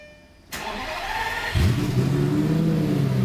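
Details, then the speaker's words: Lamborghini just flashed with a different tune that passed calibration: about a second of cranking, then the engine catches at once into a strong, even idle; a clean, healthy start. "now if I turn the car on god that sounds so good it sound so awesome"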